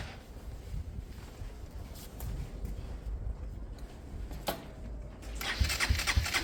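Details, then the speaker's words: Motorcycle converted from fuel injection to a Hanway carburettor, ECU systems disconnected, starting spray used: uneven cranking with sharp thumps as it tries to fire and kicks back against the starter; spark audible, owner recalls similar kickback from timing issues before, cause unconfirmed. "I can hear spark. I can hear it sparking. That's weird. That back kick. That's weird. I've had that before, but that was timing out issues."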